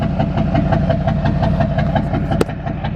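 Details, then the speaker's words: Duramax diesel truck idling after troubleshooting a smoke-at-idle problem and adding Lucas treatment; steady even clatter with no skips, no smoke now, sounds healthy. "But I don't know, it just how idle and sound good as fuck right now."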